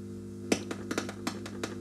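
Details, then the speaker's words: Epiphone Valve Special hybrid tube guitar amp: irregular sharp crackles and pops over a steady low hum, coming and going; a ground point is not properly connected. "these grounds are not very good okay we've got a ground problem here one of these things is not properly connected to ground"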